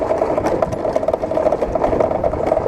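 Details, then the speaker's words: Running motorcycle: fast steady ticking buzz like something loose vibrating, started this morning; owner suspects a part came loose inside the dashboard panel, not confirmed. "aí com certeza peça que soltou dentro do painel mas E vocês o que acha que é isso aí"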